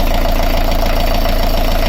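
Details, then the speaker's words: Beta 38 diesel narrowboat engine running with the alternator belt removed while hunting a tapping and rattling noise: steady, even idle with a deep, regular beat. No tapping or rattle; very smooth. "There's no noise. It's so smooth."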